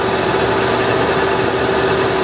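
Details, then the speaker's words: Bullnose Ford F150 cold start, after fuel delivery troubleshooting and rewiring: even, smooth idle with a steady hum and no knocks or misses. Normal cold-start idle. "it's the line it's alive nice wow she really does sound good doesn't she cold start too"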